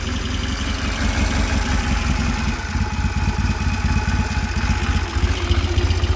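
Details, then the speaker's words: Ex-Dutch army Triumph 3TA 350 twin started cold: fast uneven metallic rattle over lumpy idle comes from the fuel tank, not yet bolted on and resting on the frame; loose fuel tank rattle. "And that rattling, if you can hear it, is actually the fuel tank."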